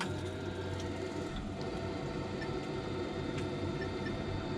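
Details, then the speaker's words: Viessmann boiler during a service, put into high-fire mode (100% on) from the touchscreen: a steady, even low roar with no popping, surging or whistling; the burner is lit and running cleanly at full fire. "100% on, you get high fire. Okay, you can hear that firing up"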